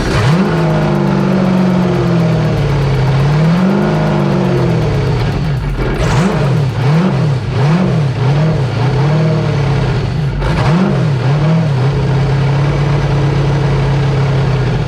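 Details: 6.0 LS V8 in Yamaha FZR jetski, running on hose, with new idle air control valve now working: engine note keeps hunting up and down, several surges every second or two, no steady speed; still running rough, other faults suspected.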